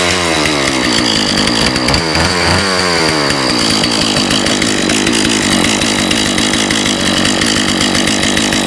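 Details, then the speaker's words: Husqvarna 36 chainsaw after carburetor clean-out and new fuel line and filter, running 50:1 mix on full choke; a steady, high two-stroke buzz with even firing and no misses, and it sounds like good compression. "Sounds good. Sound like good compression."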